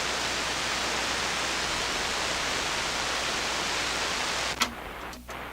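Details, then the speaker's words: SP-600 communications receiver with rebuilt RF deck installed, run on variac at 92 volts: steady loud even hiss with no stations or tones, then a click; receiver live but no signals received. "Well, it seems like it's working. Maybe there's no signals. Wow, that's really no signal."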